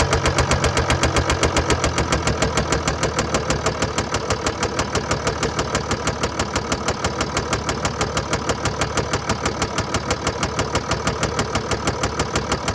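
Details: 2013 Mercedes-Benz E350 4Matic, 2987 cc 195 kW diesel, engine code NZAAB501, 224,763 km, idling; sharp, evenly spaced knocks in step with the engine, diagnosed as a bearing failure plus a defective injector.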